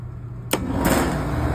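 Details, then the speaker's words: Trane rooftop unit in test mode after replacing a faulty RTRM board that gave no output voltage: quiet hum, then a sharp clunk as the contactor pulls in and the compressor comes up to a steady, even run. Normal start. "Now I'm about to see if I'm going to output voltage to the fan and see is my diagnosis right here. Go. Test mode. Fan compressor should jump on."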